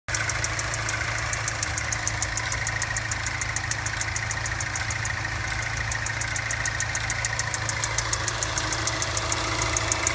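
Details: LNF petrol engine idling with a fast, light ticking over the steady hum on initial cold start-up; the ticking goes away once the engine warms up.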